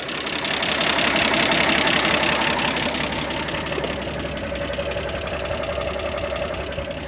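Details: 1973 Jeep CJ5, sat 16 years, running on bypass electric fuel pump: even regular chuffing idle about three beats a second, slightly tractor-like but steady; oil pressure rose to 40, healthy running.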